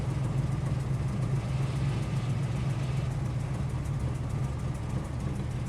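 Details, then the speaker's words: 1998 Ford Explorer with a vacuum line tube going nowhere; low steady idle with slightly uneven, wandering pulse and nothing sharp; still idling rough, about as before the last attempt, cause not pinned down. "okay don't really I back pretty much where it was before the last time that we did it"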